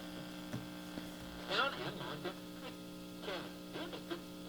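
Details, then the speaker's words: 1950s Crosley 11-122U tube AM radio powered on via dim-bulb tester before recap: constant low mains hum with steady buzzing under faint station audio from speaker; AC hum getting through, cause suspected, not confirmed. "And that just sounds like we've got a lot of uh AC hum coming thr"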